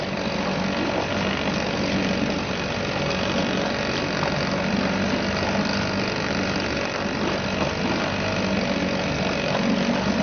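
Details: Suzuki DT 2.2 HP two-stroke outboard ticking over in a test tank after a fresh start, choke off, cooling water flowing; steady even idle with no hunting or misfires, sounds healthy.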